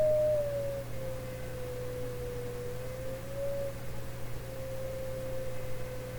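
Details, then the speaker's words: 1920s Westinghouse oval cone loudspeaker for a 1928 RCA Victor Model 28 radio, signal-generator sweep: a wandering tone around 500 to 600 Hz with a faint buzz over a low hum; small buzz, possibly mechanical resonance. "There's a small buzz there."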